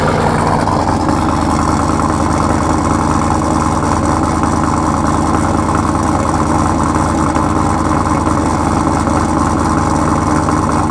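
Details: Camaro with Sniper EFI, after cold start, recorded from behind the car: loud, deep, steady lumpy idle with even beat, no knocks or ticks; normal idle.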